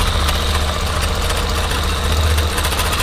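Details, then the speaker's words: Yamaha Factor 125 single-cylinder at idle after rocker (valve clearance) adjustment: light, irregular tapping over the steady low putter, a knock now coming from around the exhaust pipe area; cause suspected, not confirmed. "Vou tentar localizar esse barulho aqui, ó. Tá batendo alguma coisa"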